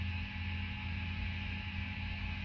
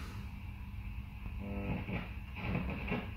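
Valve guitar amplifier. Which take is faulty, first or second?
second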